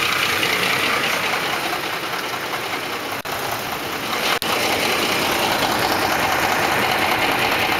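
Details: 2004 Ford F150 5.4L 3V at idle: crisp, fairly even ticking knock about 2.5 per second, timing chains slapping against the block because chain tensioners failed; fixed by replacing cam phasers, timing chains and tensioners.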